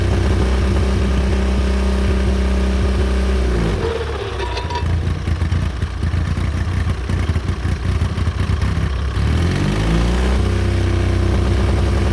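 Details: John Deere Model R tractor big diesel engine after the pony motor was rebuilt, reinstalled and used to start it, following injector work and freeing a sticking, gummy fuel rack; steady thump, dips in speed mid-run, then recovers to an even beat; normal running.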